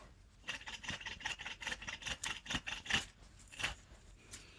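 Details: Honda Odyssey rear wheel hub bearing, old unit removed and turned by hand: uneven gritty rasping in bursts, no smooth spin; worn wheel bearing, replaced with new hub.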